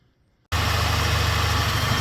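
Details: Mercedes B160 petrol engine at idle: steady idle with a faint rapid clicking in the background, located in the drive belt and tensioner area, not the EVAP solenoid. The drive belt and tensioner are suspected and due to be replaced; the cause is not confirmed.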